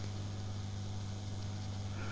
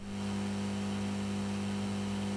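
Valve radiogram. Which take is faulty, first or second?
second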